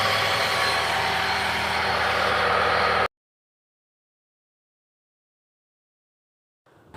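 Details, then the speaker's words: Hyundai Trajet after replacing power steering pump bearing: engine runs steady with no pump whine or bearing growl, the earlier noise gone; normal power steering pump operation. "Alhamdulillah teman-teman karena bunyi yang berisik di pompa booster ini sudah hilang"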